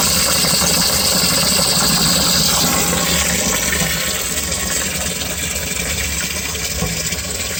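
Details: Home-inspection sump pump kicks on after water is added above the float threshold; water rushing and splashing over a steady motor hum, no rattle or grinding, running normally.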